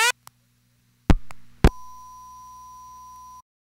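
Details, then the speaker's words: Crossbar call that failed on all alternate routes, marker routed it to the crybaby tone: relay clicks and clunks, then a thin steady high tone about two seconds; only half the tone plays as oscillator tubes and crybaby need replacing. "we only hear half of the tone because the oscillator tubes and the crybaby need to be replaced"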